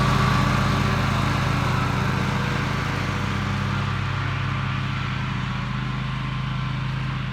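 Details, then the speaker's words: Toro TimeCutter MX 4200 zero-turn after ignition coil replacement, test cutting grass: steady even twin-cylinder drone holding speed under load, no misses; runs and cuts great, though the owner wants to double-check a couple of things. "i don't like that i'm gonna have to double check a couple things but it runs it cuts running great"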